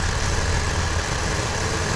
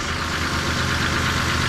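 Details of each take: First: Buick Rendezvous that had been failing to start, now idling with misfire: uneven, shaky, faltering rumble that sags and nearly stalls, no vacuum leak heard. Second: Buick Rendezvous after fitting a new, cleaned replacement part to fix a misfire from the old one sticking: steady even idle with smooth low rumble, no misses or stumbles; engine running normally.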